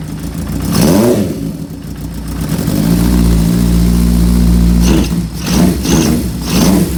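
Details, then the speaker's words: Honda CB550 four-cylinder with a new Dyna-S ignition and M.Unit, pod filters and a temporary fuel bag, first run: it idles a little unevenly, then revs rise and fall smoothly. It runs but needs some carb tuning. "Alright, let's see what this thing sounds like. Sounds pretty good."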